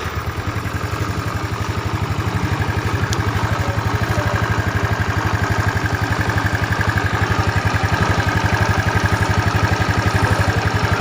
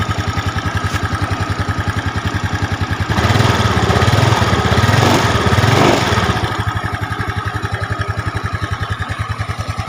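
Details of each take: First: Yamaha Mio Smile after the noisy timing chain was replaced with a 90-link Honda chain and valves adjusted: even, steady single-cylinder putter with no chain rattle; faint airy hiss because the tensioner cover is not yet fitted; normal idle. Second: Yamaha Mio Smile scooter engine, valves already adjusted, fairing removed: fast, steady rattling ticks that get louder when revved; worn cam chain, to be replaced with a Honda 90-link cam chain.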